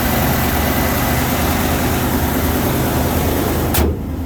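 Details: 1990 Ford F-350 work truck, 5.8L 351 gas V8, 5-speed manual in neutral, 105,000 miles, plow-equipped; after cold start the engine settles straight into a steady, even low rumble with no misses or knocks: normal healthy cold idle.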